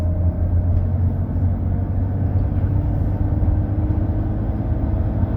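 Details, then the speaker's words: BMW E32 735iL driving after replacing clunking transmission mounts: steady, even low drone with no clunks or rocking thumps, drivetrain smoother and no shudder in drive; shifts still slow, owner suspects a dirty valve body. "Yeah, and the drivetrain is smoother too."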